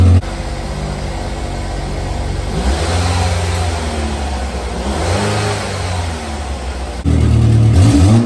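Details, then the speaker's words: 2010 Chevrolet Equinox after exhaust repair with new part, one spot still to weld: idles and revs smoothly with subdued exhaust note, no hiss or blatting from leaks, very quiet. Quiet exhaust. "that's it amazing difference guys i don't know if the video as i said last time does it justice but it's so quiet"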